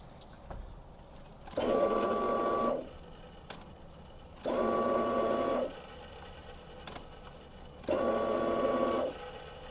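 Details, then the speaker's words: 1986 Mustang GT, sat a while and running rough, just under a quarter tank. Three short, faint pump whirs as the key cycles: the pump primes weakly. Weak pump or low fuel suspected. "I didn't hear the fuel pump for a second and then I heard it. It was very low and we didn't get any reading on the gauge."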